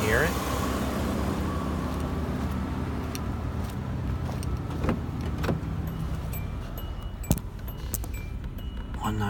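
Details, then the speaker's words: 2004 Hyundai Santa Fe 3.5L V6, 198,000 miles, no smoke: smooth, even low rumble at steady idle, no knocks or ticks, a few light clicks nearby; healthy-running engine, normal idle. "Santa Fe. 3.5, runs excellent. 198,000 miles. Beautiful runner."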